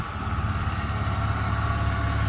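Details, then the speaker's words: BMW E36 drift build with M52 engine and M54B30 inlet cam, after crank sensor change, idle control cleaning and air leak fixes; smooth, even idle with a steady low beat and no stumbles: running nicely. "engine runs nice so that's it fully poly bushed basically everything on the car is new"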